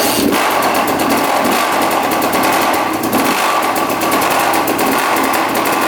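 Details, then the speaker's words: 2006 Yamaha YZ250 two-stroke dirt bike, previously wouldn't run: ragged revving with loud rapid hammering knock every stroke; rod bearing suspected, clutch also possible, not confirmed. "You can hear it knocking like crazy. Huh. That sounds absolutely horrible."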